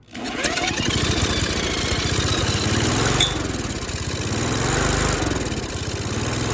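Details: Briggs & Stratton Quattro 4 hp engine on an MTD Lawnflite push mower, overheated after a critter nest under the blower housing, fed fuel by hand. It runs rough and uneven with no firm pull: low compression, suspected blown or stuck rings.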